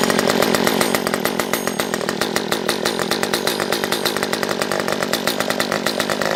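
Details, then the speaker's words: Stihl MS194T chainsaw, previously a no-start with fuel issues, off choke: small two-stroke buzzing with rapid, ragged popping instead of a clean run; sounds like it is sucking air, owner suspects carburettor; popping, poor running. "This sounds like it's sucking air still. Alright, back into it. Yeah, I mean, I can hear it sucking air or something."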